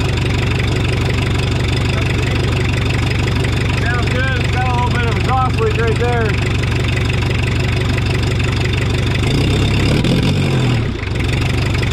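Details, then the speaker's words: 1984 Mazda B2200, 2.2L Perkins diesel, first start after sitting since 1998, fuel system hand-primed as it keeps losing prime: steady, even low diesel clatter at idle, no misses or knocks; healthy runner. "all right well she's going to be a runner"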